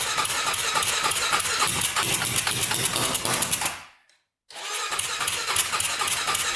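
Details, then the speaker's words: 1999 Honda 400EX turbocharged quad after adding a fuel pump; harsh uneven beat, cuts out briefly, restarts just as rough, no better; owner thinks the carburetor must be pressurized for boost; leak and weld need fixing. "it doesn't seem like it's running any better um oh i think we have to pressurize the carburetor somehow"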